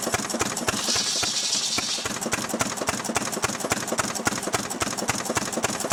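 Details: Restored 6 hp Fairbanks Morse Model Z stationary engine, hand-cranked and running on kerosene, driving a buzzsaw cutting firewood: sharp, regular exhaust pops about 214 a minute over a hissing background, firing steadily; normal, healthy running under load.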